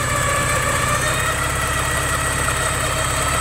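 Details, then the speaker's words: Porsche 944, a little warmed up after needing a jump start, previously wet belt noise gone; steady mid-pitched idle with even regular pulse, no misses or rattles; running normally. "seems to be running pretty good"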